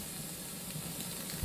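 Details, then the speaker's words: Pressure canner venting while canning fresh green beans: steady hiss of steam escaping the vent with faint sputter underneath; the counter begins once it stops releasing air. Normal venting. "You'll stop hearing the steam and stop seeing the steam. You see steam's coming out of that hole."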